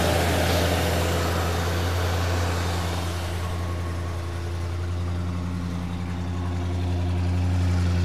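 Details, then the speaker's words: 1973 Mercury Marquis Brougham, 460 V8, started cold on fast idle, new fan clutch fitted: deep, even burble at steady idle, no knocks, misses or belt squeal; super smooth, though owner notes the power steering belt needs tightening. "let's start it up here it is cold so it'll be on fast idle foreign super smooth"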